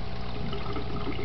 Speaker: and you hear the gurgling but as you can see the water levels aren't the same height anymore